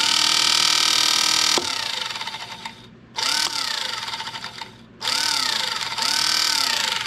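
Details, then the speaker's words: Electric pump on the burned-up rat rod "Doje'llac"; whirs unevenly in short surges with a rough wavering high whine; owner judges this pump bad, noisy. "well this pump is bad I guess there must have been a reason I had a I had a brand new one in a box sitting on the shelf"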